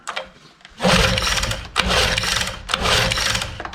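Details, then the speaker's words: 1988 Johnson 9.9 outboard (actually 15 hp) that died on the water, fuel line connected, choked, fuel pouring out; three rough pull-cord bursts spin the motor but it never fires, flooded. "now she ain't gonna run she's flooded"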